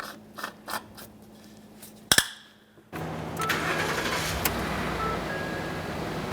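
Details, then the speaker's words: 2013 Ford F-150 XLT 5.0L V8 after a coolant hose connector replacement: light clicks, then the engine starts at once and holds a steady, even idle. It was run up to normal operating temperature until the cooling fans came on. "Alright, so we've been running the vehicle for a while now. I can hear the cooling fans turned on. The vehicle's up to normal operating temperature."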